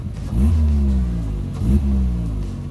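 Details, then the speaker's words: Saturn Astra with returning P2096 check engine code, revved twice: loud, rough, raspy exhaust note seeming to come from under the footwell. Owner suspects a rusted, separated, holed or cracked exhaust, not at the muffler. "that bit of a verbal noise the louder exhaust note seems to be coming almost down under the foot well area"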